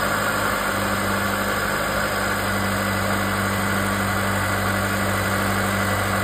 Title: GMC / Chevy 2.7 wastegate actuator loud noise